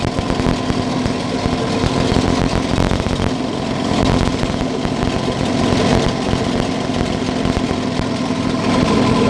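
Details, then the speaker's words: Yamaha 9.9 outboard motor, carburetor not yet adjusted, mixture screw two turns out from seated, started on closed choke: busy, uneven two-stroke buzz wandering in speed, running rich and rough on choke. "I know that the motor is not adjusted, I start it on a closed choke so as not to pull the starter for half an hour."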